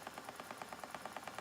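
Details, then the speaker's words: Spinning wheel spinning lace-weight yarn, tension high. A light, even tick about nine times a second over a quiet whirr; the back tension is ruled out, and the spinner suspects the speed or yarn hitting the flyer arm. "I don't know why it's clicking. What is making that noise?"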